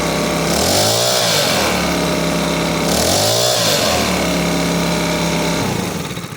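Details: Makita BHX2500CA four-stroke blower after an aftermarket carburetor and fuel line kit was installed. Its adjustment screw was turned counterclockwise until the sputtering stopped. It now revs up and drops back cleanly several times with no stumble or sputter, and the mixture looks right.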